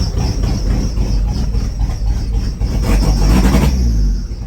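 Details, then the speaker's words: A turbo Cavalier with a welded-up loud exhaust runs with an uneven, stumbling beat right after all spark plug wires and plugs were swapped. The engine is misfiring; the cause is suspected, not confirmed. "That sounds a little weird. That's misfiring."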